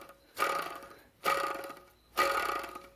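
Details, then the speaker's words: Idler pulley bearing removed from an engine wrongly diagnosed with rod knock, spun by hand three times: a gritty, rasping whir that fades out. It would be much louder under belt pressure at engine speed. Worn idler pulley bearing. "if that thing was attached to the engine running a whole lot faster with pressure from the pulley it would make making a mad amount of noise"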